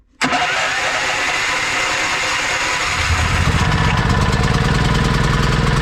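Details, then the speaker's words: Fully cold generator converted to run on mains gas through a carburetor insert, petrol disconnected; the starter turns it over and the diaphragm opens as the engine spins, it catches and settles into a steady, even run, a healthy start. "дивіться як запускається повністю холодний генератор на газу бензин від'єднаний"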